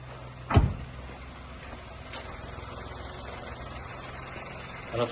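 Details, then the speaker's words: Used Kia Morning from South Korea during a pre-purchase inspection, engine revved. A quiet, steady low hum under a few handling thumps, with no knocks or strange noises and no belt noise; a normal idle. "Давайте дадим оборотов и послушаем без странных звуков собственно и против каких-либо дефектов"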